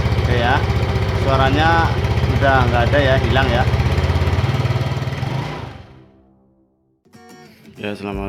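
A scooter engine idles with an even, steady low thrum, free of any rattle or grind from the drive.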